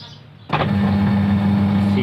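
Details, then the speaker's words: Automatic washing machine after motor replacement (old motor bearing suspected, wash shaft still good) starts and settles into a steady, even hum with no grinding or rumble; earlier loud noise gone. "ดังยังก็เหาะไม่มีแล้วนะครับแกนซักยังดีเปลี่ยนเป็นที่มอเตอร์ครับน่าจะเป็นลูกปืนครับเปลี่ยนมอเตอร์ใหม่เลยครับ"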